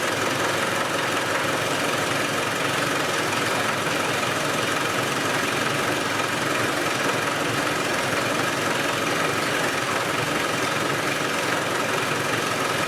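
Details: Land Rover 110 diesel running with the valve covers off and oil reaching the valvetrain: even, steady clatter with no stumble or missing beat; it runs smoothly and compression appears fine.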